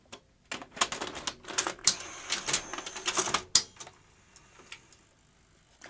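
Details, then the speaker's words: Sony UVW-1200P Betacam SP player during repair, after grease on guides: quick mechanical clicks and clacks as a large Betacam tape draws in, then a final clunk on eject; loading mechanism works normally this time after earlier intermittent failures. "it takes a large tape happily did he reject there huh it worked that time"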